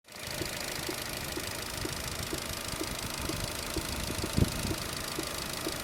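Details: Opel Zafira B 1.8 Z18XER 140 hp: sharp, evenly spaced knocks about twice a second over a steady idle; engine knock, cause not yet determined.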